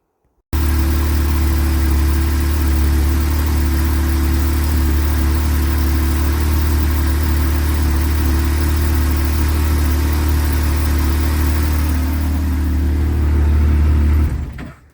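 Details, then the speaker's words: Yamaha YXZ1000R after fixing an intake leak: steady, even low idle with no stumble, hiss or misfire; smooth, healthy engine. "She she idles really smooth just like my 24 did."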